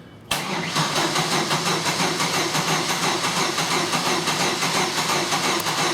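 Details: GM 2.2L crank-no-start that died after a downstream O2 sensor replacement: quick, even cranking with an unusual rhythm, no compression pulses and no attempt to fire; spark present but no cam signal, caused by a broken timing chain.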